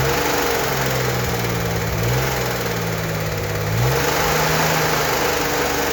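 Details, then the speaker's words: Freshly rebuilt turbo 1964 Corvair Monza Spyder engine held at 2,000 rpm for cam break-in: a steady, even drone with constant low tones and no knocks or misses. Normal running; the engine is tight and the oil pressure light stays off. "To break in the cam, we need to run the engine at 2,000 RPM for 20 minutes."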